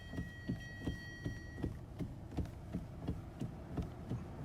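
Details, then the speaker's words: 2011 Hyundai Sonata started up for a customer's clunking complaint: dull low thumps about three per second, like a loose steering wheel, traced to play inside the steering column rather than the rack or intermediate shaft. "the customer is complaining of clunking noise we're just going to start it up and see if you guys can hear it"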